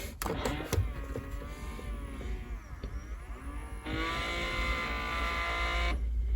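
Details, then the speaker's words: 1999 Honda Odyssey HVAC mode door actuator after clipping a wire (owner suspects shorted rear defroster circuit shut down the control module): quieter actuator motor hums about two seconds as door travels, stops cleanly; working normally. "that works and then we'll turn this one that one's a lot quieter but I can hear it moving"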